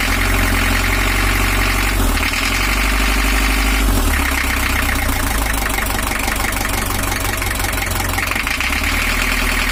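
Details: 1982 Toyota Hiace LH11 diesel with overheating, 1982 gear on 1983 camshaft, after retiming to valve top: runs but lumpy and uneven with irregular knock about four times a second; injection pump timing still off.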